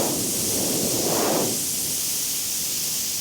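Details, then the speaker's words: Front tyre with a thorn puncture, slightly reinflated before rope-plug repair: steady airy hiss that swells briefly then holds as air escapes through the small hole; the thorn puncture is the leak. "definitely the problem. There it is. It always amazes me that a little thorn like that is enough to puncture a tire, but it is"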